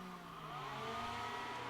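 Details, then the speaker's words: Power Mac G5 after repair of a component that exploded on power-up, fans not calibrated, front fans now installed: steady airy whoosh with a constant whirring tone; fans running at full speed rather than throttling down. "Right, and if we can't calibrate it it's not the end of the world, it's just gonna be noisy, so."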